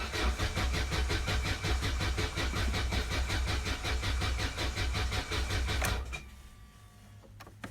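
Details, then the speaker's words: 1991 Vauxhall Nova GSi, original 1.6 8-valve, cold start after long storage with fresh fuel in an empty tank: steady starter cranking about three turns a second for six seconds without catching while fuel reaches the engine; then starts. "yeah it really was completely empty of fuel there we go took a bit of time for the fuel to get through"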